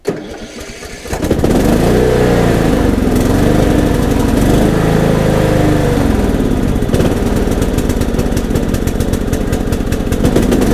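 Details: Troy-Bilt Bronco riding mower, after sitting a long time with dried-up fuel, started after a carburetor replacement and new battery: a second of quiet, then it catches right away and settles into a steady, even idle with no misses. Normal running.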